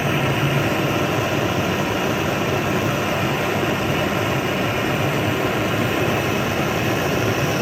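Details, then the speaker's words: Vintage Otto Bernz blowtorch with the valve cranked from a small opening to full: a steady, loud, even roar with no sputter or surging, like a jet taking off. The torch is burning strongly and normally at full valve. "Let's go ahead and crank it open, see what happens. There we go. It's like a jet engine taking off. Look at that."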